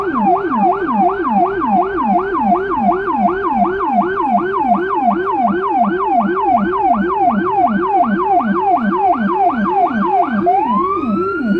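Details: Federal Signal Rumbler siren on a small emergency car in Budapest, dashcam audio from inside: a rising and falling wail about 160 cycles a minute over a deep pulsing 180–360 Hz low tone; siren and Rumbler working normally.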